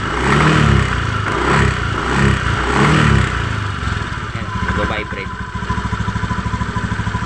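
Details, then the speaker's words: Honda Beat FI v2 scooter, CVT side open, uneven metallic rattle from the belt side over the engine note; crankcase bearing's copper bushing has spread and come loose, hole enlarged, probably from excessive heat; loose crankcase bearing. "bumuka ung tanso dito bumuka siya lumuwag dito kasi sobrang init siguro"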